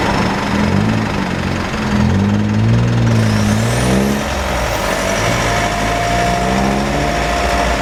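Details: Mitsubishi 4N15 diesel with V6AWH, about 6,110 km, driving: steady high whine above diesel and road noise, tracking road speed. Burning-oil smell, higher fuel use; later overfilled rear diff, burnt front diff oil, ATF ~1 L short. Drivetrain whine, unconfirmed.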